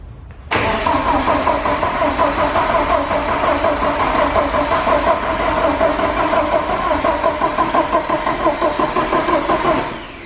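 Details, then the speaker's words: Porsche 944 race car first start after fuel lines, timing belt, balance shaft belt, water pump and fuel pump work: steady rhythmic cranking about three beats a second for nine seconds without catching; fuel starvation, confirmed when starting fluid fired it. "We're going to try this again with starting fluid, see if fuel's still our issue. See, that was definitely fuel."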